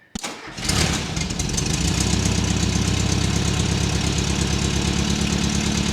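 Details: 1979 US fuel-injected air-cooled VW Super Beetle with a new Vintage Speed stainless exhaust, microphone clipped to the rear bumper by the muffler: a short crank catches at once and settles into a deep, even, burbling idle with no misses or knocks. Healthy engine.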